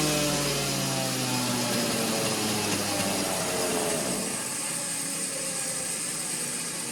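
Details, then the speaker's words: Neotec 843 43cc chainsaw, Husqvarna 543XP clone, being tuned on a dyno: screaming high revs sag and roughen into a ragged burble at the top; still slightly rich and four-stroking, to be leaned out a little more. "Feel like she's getting a little bit more cleaner up top."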